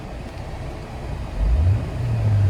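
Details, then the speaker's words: Audi A4 automatic: the engine note climbs and holds low and heavy under throttle in reverse, but the car won't move backward; the transmission has failed, though forward drive felt fine. "we going reverse and that's the problem guys the car does not reverse that's the problem guys I'm in Reverse I'm in Reverse"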